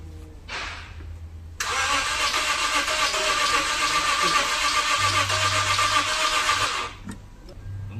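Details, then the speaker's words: Lexus IS250, first start after reassembly following throttle body cleaning and a faulty airflow sensor; cranks steadily about four beats a second for five seconds without catching; spark plugs very black, suspected from prolonged cranking, not confirmed: crank no start. "เราลองเอาหัวเทียนมาทำความสะอาดดูนะครับหัวเทียนดำมากคือเขาน่าจะลากสตาร์ทมา"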